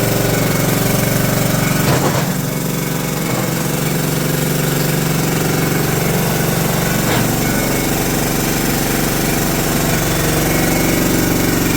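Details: John Deere LT150 mower with swapped-in replacement 15 HP Kohler engine: even single-cylinder chug at steady speed, no misfires, knocking or exhaust popping; runs better and quieter than the day before, normal running.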